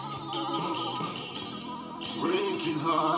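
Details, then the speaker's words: 1980s JVC RC-680V boombox cassette deck after new belts and seized motor service: tape music wavers slowly in pitch and plays slow; flywheel eccentric, wobbling, likely bent by previous prying. "it's running kind of eccentrically it's kind of wobbling like that as it plays and that's giving us"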